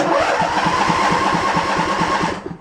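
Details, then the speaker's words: Husqvarna/AYP lawn tractor, roughly 8–10 years old, first start after repairing a fractured shift rod by the transmission; engine catches quickly and settles into an even, steady firing rhythm before shutting off; normal engine start. "I figure we'll go fire it up and see what she does. I've never had this running yet, so hopefully it runs fine."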